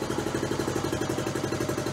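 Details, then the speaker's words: Honda Trail 90 (CT), all original, idle raised a quarter to half turn after carb tuning, 72°F: even steady putter about nine beats a second, no stumbles or misses; idle set right. "settle for that kind of Idol but no that's how it's supposed to run from Idle No stuttering no hesitation no stalling if you set the idle right"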